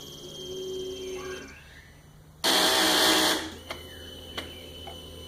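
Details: 2009 Yamaha R6 with a battery about a month old, kept on a tender: faint whine, then a second of harsh buzzing on the starter and a few sharp clicks, engine never fires; no-start.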